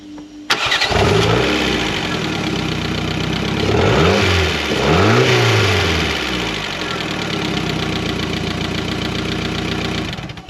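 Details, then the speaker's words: Mk4 Ford Fiesta, unstarted for over 4 years, after replacing the crankshaft sensor and plugs with original leads and coil refitted: cranks briefly, catches cleanly, blips up twice and settles into an even idle; healthy start. "that Sweet Sound meant that it starts the only thing that was wrong with it was the crank sensor so now I know that the engine actually runs"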